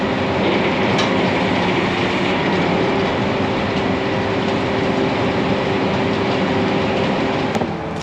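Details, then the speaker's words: Harvester feeder not pulling: loud rattling drive noise with a thin steady squeal over it, not grinding. The operator first suspected a jammed rock, but none was found; the feeder drive shaft had twisted off. "well i heard an interesting squealing sound it wasn't like a grinding sound so i think it's just jammed up for the rock in there"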